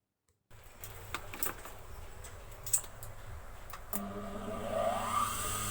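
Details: Jukki motor after repair of a sound problem, final check: after light tapping it starts with steady even hum and smooth rising whine, no rattle or grinding; normal running.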